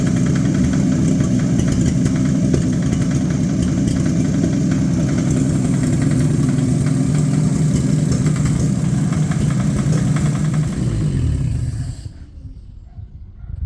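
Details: 1950 Chevy 1-ton truck, abandoned Chevy 216 inline-six on old filtered oil: rough, chuffy idle with a miss and a dull, regular low knock from the bottom end. Bottom end knock with misfire.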